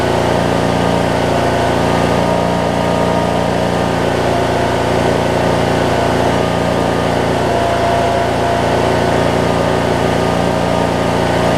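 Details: 2007 Craftsman LT2000 riding mower with Briggs and Stratton engine, sat a while and backfired when starting, now running; even, steady putter at constant speed with no backfires or stumbles; normal idle.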